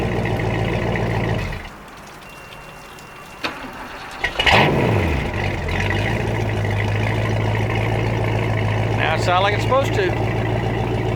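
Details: 1986 Supra boat with 351 V8 (PCM), after replacing a worn distributor and rebuilding a dripping carb: the engine cranks, catches quickly and settles into a smooth, even V8 idle, running as it should.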